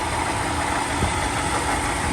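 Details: 2012 Toyota Tundra V8 at idle: busy, fast metallic rattle over the run from a worn water pump bearing; water pump, thermostat and valve cover gasket to be replaced.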